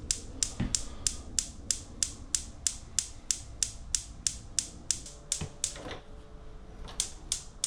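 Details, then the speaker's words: Gas hob burner on lighting attempt after pumping the gas valves: sharp even igniter ticks about three a second with no flame catching; owner wonders if the gas bottle is on; igniter clicking without ignition. "And then when it's taking a while, you're questioning yourself, did you turn the gas bottle on?"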